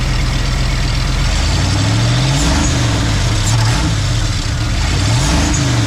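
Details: 1990 Ford F250, 351 5.8 V8, junkyard build, cat delete, on a cold morning: first start, deep burble settling into steady idle with slight speed wander, no knocks or misses; normal idle.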